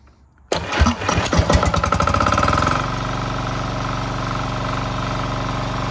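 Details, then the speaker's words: Diesel snowblower started with the electric start on a fully charged 800 cold-cranking-amp battery: silence, then it catches at once, revs briefly and settles within two seconds into a steady, even diesel idle, a clean start. "all right so you can kind of see that so I used the battery to start it and as well as a crank"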